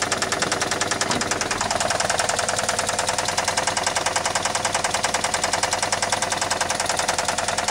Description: 1999 SL2 starts everytime but smokes and has Rod Knock 1.9L twin cam